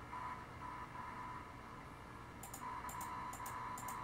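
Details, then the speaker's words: Desktop PC audio card with static, crackles and screeching when scrolling, worse as the computer ages; steady hiss with a faint ~1 kHz tone and high chirps from a ground loop, since all components share a common ground; fixed with a ground loop isolator. "annoying sounds and there's crackles I hope you hear screeching - when you scroll down the page"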